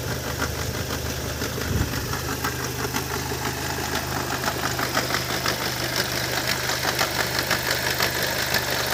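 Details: Opel Vectra C with Z20NET engine at idle: uneven tapping about twice a second over a steady idle drone, getting busier later; strange engine noise, cause unknown.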